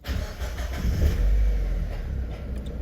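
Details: Abandoned Mazda Miata, started again after fixing a no-power fuel pump fault: cranks and catches quickly, swells briefly, then settles to a steady low idle with nothing irregular; normal start, fuel pump audibly loud with its cover off.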